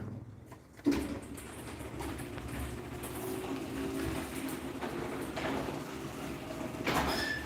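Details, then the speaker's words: Linear garage door opener, similar to the LDCO 801 but with Wi-Fi, after setup. A soft, even motor hum for a few seconds with no grinding or clatter; a quiet, healthy opener run. "Yeah, so this linear is still really nice and quiet. Still really glad I went with this instead of a LiftMaster."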